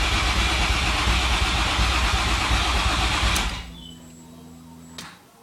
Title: No Start